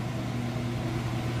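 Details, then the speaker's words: Whirlpool Ultra Care II top-load washer with a heavy jeans-and-towel load, final spin nearly at full speed: a low, steady hum with no thumping or wobble. The drum is balanced and operation is smooth and normal. "It's just about up to full speed. You can see it's got nice smooth operation."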